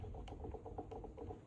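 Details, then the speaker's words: Soft quick clunks each time the bare crank is rocked up and down by hand on a blown-up Kawasaki KX80 two-stroke bought for $400; visible and audible up-and-down play shows the crank bearings are gone. "The crank is gone. Is it? Yeah. See the up and down movement there? You can hear it too, like."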